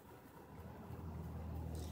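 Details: Stereo, microphone close up: only soft low rumble and faint hiss with no buzzing, unlike the buzz heard when run on a 500-watt non-pure sine wave inverter.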